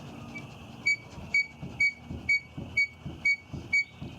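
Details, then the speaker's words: 2001 Volkswagen Jetta VR6, body pushed down by hand: sharp high squeak about twice a second with each push over soft thumps, from the rear suspension; cause unknown, rear shocks to be removed. "You can hear some squeaking also, but there we go. That's the tapping sound. Now listen to the squeaking sound."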